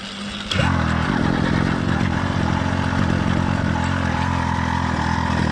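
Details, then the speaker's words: Two-stroke motorized bike engine, cold start in cool weather: choke used until it kicked over, then turned off; runs a touch rough on choke, then settles into a steady, even idle; normal cold start. "this was a cold motor being started for the first time today it's cool weather outside so I use the choke until the motor kicked over a few times after a few seconds I turned off the choke where the motor began to idle down and stabilize"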